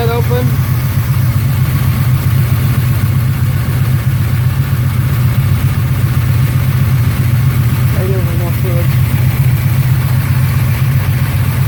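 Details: 1972 Chevelle Malibu V8 revived after years sitting, new water pump and alternator, warming up awaiting thermostat opening: deep steady even idle, no ticking or knocking; healthy, though leaking oil heavily.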